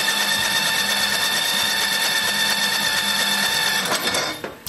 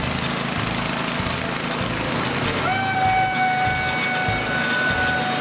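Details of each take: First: Old snowblower small engine, cranked with the electric start after brake-cleaning the ignition and refitting the flywheel to restore spark. Steady starter whir with a churning beat about three a second; it spins but never fires. Spark is then confirmed. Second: Old snowblower small single-cylinder engine, started on electric start with choke and fast throttle after cleaning corroded parts: fires and settles into a steady, fast, even chugging with no misses; runs fine.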